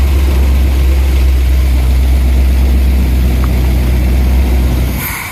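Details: Dead derby-style van V8, revived with gas poured into the float bowl vent and a weak starter: strong, steady low rumble with an even beat around four per second, then it cuts off. Normal running.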